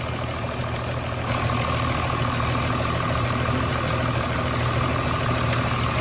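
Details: 29-year-old TimberJack 450-C skidder diesel after sitting 8 years, freshly started, not yet hot, during blow-by check: steady even idle, low rumble and faint hum, no misses or knocks; zero blow-by, healthy.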